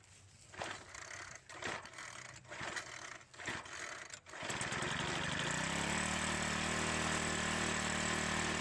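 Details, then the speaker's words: Troy-Bilt 4-cycle edger with diaphragm-style carburetor, restarted after cooling down once gas had flowed through the carb: a few cord pulls, catches and settles to an even, steady idle with no misses. Normal running. "Now that it ran for a little bit and got gas going through the carburetor, let's try starting it one more time."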